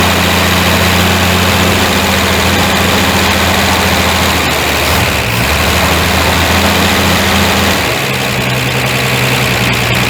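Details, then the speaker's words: Ford Fairmont that sat 35 years, first running after timing adjustment, smoking heavily: rough, loping idle that stumbles midway with an occasional miss. "it still got a wee bit of a mess every once in a while but I ain't going to worry about it uh tuning on that carb though that took most of the Miss out"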